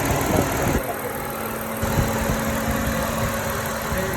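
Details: 2007 Hyundai Tiburon V6 after repairing injector wiring for cylinder 2 misfire (codes P0265, P0302), codes cleared afterward: steady, even idle hum with no stumble or missed beats, only faint background clatter; engine running smoothly.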